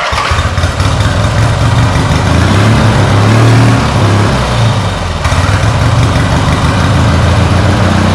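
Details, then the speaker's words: Turbocharged lawn mower, boosting about 5-6 psi through a carburetor that is not a blow-through type: loud, ragged engine sags midway then picks back up unevenly; super rich on startup, then the carb starves for fuel. "so you can hear the beast full but when it spools up the carburetor catches up with itself because on startup it's super rich and then the carb catches up with itself can't get enough fuel from the fuel tank and then starves itself"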